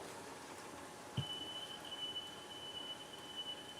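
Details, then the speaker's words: Serviced 1970s Sony TC-238 8-track recorder playing its own recorded 3 kHz test tape; tone wavers in level and breaks up in brief dropouts, with an early thump, wow and flutter with tape dropouts. "But even there, you listen to it, you can hear all the fluttering and wow in the speed, and dropouts in the tape, and everything else that comes along with this medium."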